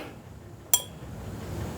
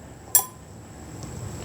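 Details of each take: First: Old cam compression release lever on a Briggs and Stratton 17.5 hp engine, worked by hand: a dull ping as it closes slowly. The worn spring is too weak to keep the lever closed, so the engine will not start. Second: New cam compression release lever on a Briggs and Stratton 17.5 hp engine, worked by hand: a sharp metallic click as it snaps shut quickly. Spring tension is much stronger than the worn old lever, which closes slowly.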